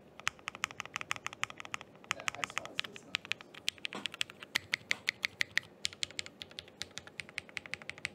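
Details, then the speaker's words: Thera 75 keyboard with Zaku linear switches, GMK Laser keycaps, freshly built after stabilizer troubleshooting (enter key had felt stiff): crisp, even keystrokes at steady pace, no stabilizer rattle or ticking; normal typing. "there you guys what there you guys go that's the sound test for the thera 75 thank you"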